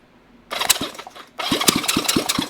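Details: 1971 Honda CB350 twin engine on a stand out of the frame, during valve adjustment and timing work; starter cranks in short even bursts with strong regular compression pulses, finger test showing good compression on both cylinders: healthy cranking.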